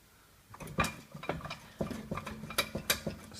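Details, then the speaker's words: Ford Fusion jacked up, wheel rocked by hand: loose irregular metallic clunks and clicks as the rotor and brake caliper move with free play, pointing to a worn wheel bearing and hub assembly at the steering knuckle. "just simply try and move your wheel see if your wheel to see how much play that my rotors moving and my brake calipers all loose"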